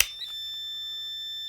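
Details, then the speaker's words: Multimeter set to continuity mode while checking parts before building an LM386 pedal: a steady high-pitched beep holds evenly while the two probes touch, showing the meter's continuity tester works normally. "An important thing to know when it comes to continuity, and I hope you're going to be able to hear this, but when you flip over to continuity mode, these two, when they touch, make a sound."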